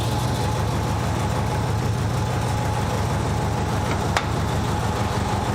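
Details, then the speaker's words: Nissan 200SX petrol engine idling with uneven lumpy beat: cylinder 1 not firing while cylinder 2 works; wiring or injector issue suspected, both injector sides showing 12 V. "Number 2 is working. So it's just number 1."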